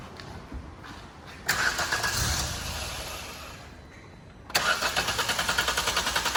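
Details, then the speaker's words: New-model Maruti Wagon R with misfire, starting after throttle body cleaning and battery reconnection; starter cranks about three seconds before catching into a steady idle, delay from cleaner foam soaking in; misfire then gone. "ആ delay നമ്മള് starting delay വന്നത് നമ്മുടെ ഈ liquid ഇതിനകത്ത് form ചെയ്തു കഴിയുമ്പോൾ അത് കുറച്ച് ഉള്ളിലോട്ട് ഇറങ്ങി പോകാൻ വേണ്ടിയുള്ള താമസമാണ് ആ ഡിലേ വന്നത്"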